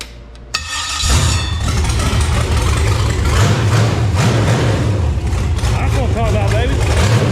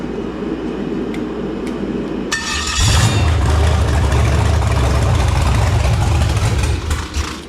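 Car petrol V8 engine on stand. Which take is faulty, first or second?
second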